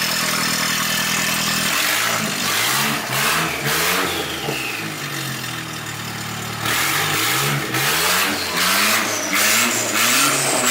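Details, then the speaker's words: Drift Nissan Hardbody truck, first start: catches and idles, then takes several sharp blips that rise and fall cleanly with no misses or knocks. Normal running. "alright guys well there you go hard body runs there you go"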